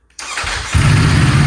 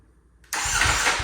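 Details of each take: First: Salvage Ducati Panigale V4S, kickstand put down while running, broken wiring and error messages present: lumpy steady V4 idle for about twelve seconds then abruptly dies; engine stalls with kickstand down. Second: Salvage Ducati Panigale V4S, first start since purchase after kill switch rewiring, run position found: silence, brief crank, engine catches at once into a loud, steady, even run; starts cleanly.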